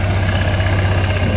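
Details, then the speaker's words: Honda Airblade 160 (26 km) with a new JVT racing pulley, idling after the side crankcase cover is refitted to check it stays quiet: a smooth, even putter with a steady low beat, no rattle or whine from the belt side; still quiet, healthy idle. "Nakakabit na natin, paandarin natin, tingnan na natin kung tahimik kasi baka umingay pag nakakabit yung panggilid, yung crankcase. Uy, effective, tahimik pa rin."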